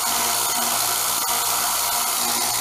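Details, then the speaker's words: Harbor Freight 1x30 belt sander after setup, fitted with a Trizac belt: even high-pitched whir at one steady speed with no slap or grinding, quieter than stock, though the motor is thought to be too fast. "can actually hear it's running quieter than they do when they're stock. Some of that is the Trizac belt."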